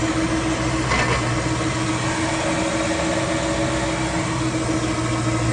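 A steady low hum runs under the vehicle noise throughout, the drone of a worn propshaft centre bearing support.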